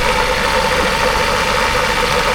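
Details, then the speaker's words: Toyota Commuter van with a microbus AC fitted 1–2 years earlier: a busy, rattly knock under the idle that appears only while the AC compressor runs, gets louder with revs and stops when the compressor cuts out; worn compressor, owner wants it replaced. "แต่ว่ามาวันนี้ลูกค้าขับไปมีเสียงดังเกิดขึ้นนะครับดังมากนะครับอ่าช่วงคอมแอร์ทำงานดังคักๆเวลาคอมตัดก็หายไปนะครับ"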